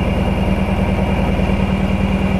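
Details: 1999 Lotus Esprit V8 misfiring on two cylinders with no spark to them. A lumpy, loping idle with an uneven low thump. One ECU coil output terminal measured about 10 V against 12.5–12.8 V on the others, pointing to a faulty ECU driver, which was repaired.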